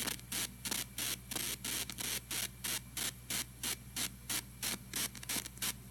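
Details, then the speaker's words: TG-TEK tablet with headphones plugged in, while downloading: loud hiss bursts about three times a second over a low hum, tied to data activity and sometimes stopping when the download is cancelled. "you'll hear a bunch of like weird hissing noises coming out of the speaker right here"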